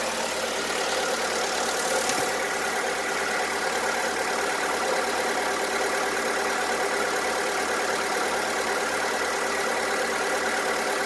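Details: VW Polo 1.4 16V (BUD engine), which began knocking despite maintenance and got louder: a dull, diesel-like knock about twice a second at idle. Lifter cleaner, new lifters and XADO additive failed; the finding is piston slap from worn skirts.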